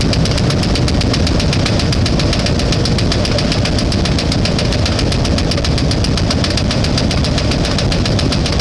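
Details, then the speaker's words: One-ton truck engine at idle after adding transmission fluid to the engine oil as a flush: loud steady knock about seven hits a second, still banging and missing; owner suspects he disturbed the ignition; knock cause unconfirmed. "so it is uh still banging but uh we're just going to let it run and see what happens it is missing so I think I've messed something up in the ignition system"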